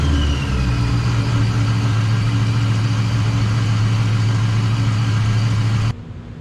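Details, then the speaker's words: Warmed-up supercharged build with loud aftermarket exhaust, blipped in the shop: deep, loud burble rising smoothly to about 3,000 rpm, steady and even; healthy revs. "Tell me that doesn't sound good. Like, come on. That was only to about 3,000 RPM as well."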